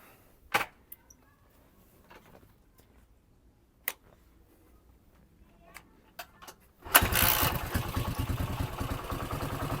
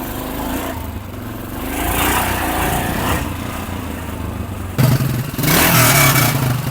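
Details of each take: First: Yamaha XT500 single with stainless replica exhaust, stationary idle after starting: lumpy idle with tinny sardine-tin rattle on each beat; exhaust rattle, suspected from replica header lacking original internal piping. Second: Yamaha XT500 single with a new Mibu Tech 1976-replica exhaust: a deep thump that swells cleanly with throttle blips and has no tinny rattle. It is a healthy, normal exhaust note.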